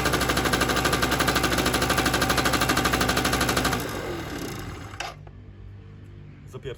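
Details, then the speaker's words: Keeway RY8 two-stroke scooter that would not start due to weak spark, after diagnosis and carburetor reconnection, on old fuel: crisp even popping at steady fast idle about four seconds, then cuts out; fires and runs cleanly. "Więc muszę go poskładać fajnie działa Nie spodziewałem się tego w sumie się spodziewałem"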